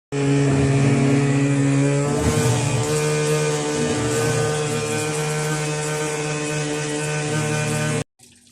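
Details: Midea washing machine: a loud, steady electric hum with a slight tone shift, heard when water filling stops; the machine also shows an F8 error.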